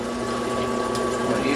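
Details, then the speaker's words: Fisher & Paykel EOS smart washer stuck after the wash cycle, drain pump test in diagnostic mode: a steady pump hum with water churning through the recirculation tube while the drain only trickles. Points to a faulty diverter valve. "sounds like when it's draining again I can see the tube here pushing water through recirculating it that's not draining"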